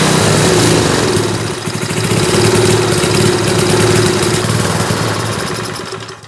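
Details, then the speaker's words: 1970s Hahn Eclipse BHT-120 tiller, 3.5 hp flathead Briggs & Stratton, decades unrun, first start on fresh gas after carburetor cleaning: engine surges and sags about four beats a second; unsteady running from a mixture needing exact tuning that drifts with temperature. "All right, so it just seemed like we needed the absolute perfect air-fuel mixture, which is going to be weird because as the temperature fluctuates, that's also going to need to be adjusted."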